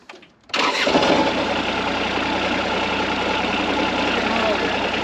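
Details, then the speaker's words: 2001 Cat 302.5 mini excavator after repairs, now substantially quieter and no longer rattling like a bag of bolts: quiet lead-in, then the diesel catches at once and settles into a steady, even idle with no rattle; normal start. "it's substantially quieter now and we're gonna start it up in a few minutes here and uh you'll hear it it's it's quieter it also doesn't sound like a bag of bolts is rattling around it"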